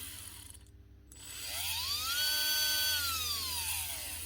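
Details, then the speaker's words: 2024 Makita DBO480 cordless sander that stopped working after a drop, brushes not seated right: brief silence then a whine climbing slowly to a steady pitch and sagging; difficult, labored start, motor faulty. "can hear it's labored, but it is working. So, we know this bunch of stuff is okay. It's just the motor that's the problem."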